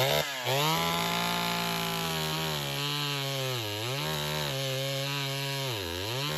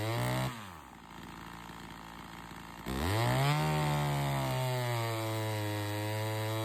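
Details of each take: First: Chainsaw (113) with hard starting and rpm loss during cuts, carb metering lever adjustment tested; screams high, then pitch sags sharply twice under cut and recovers; bogging under load; dirty air filter with sawdust past it found; cause unconfirmed. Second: Chainsaw (113) after a carb metering lever adjustment and correcting a poorly seated air filter that let sawdust in (it had caused hard starting and lost RPM in the cut): drops to low idle, then snaps to a high, steady scream that holds revs through the cut.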